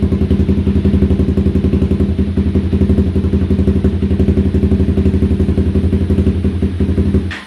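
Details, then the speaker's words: 2016 Honda CBR 300R motorcycle on stale fuel, bogging and rough idle, fresh fuel just added: uneven lumpy beat about four per second that sags, stumbles and dies, foul-smelling exhaust. Rough running and stalling from stale fuel. "oh so close oh she's trying man she wants to stay running oh yeah that that exhaust smells like poop smells horrible oh she wants to stay running so bad"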